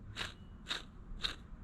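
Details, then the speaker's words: K24-swapped Nissan 180SX drift car, gearbox removed: three gritty crunching bursts as the custom clutch throwout (release) bearing is turned by hand; bearing fried, needs replacement; clutch itself in good condition. "the thing that I did notice first thing I noticed was this bearing here I don't know if you guys can hear that but it is fried to the brim it sounds horrible"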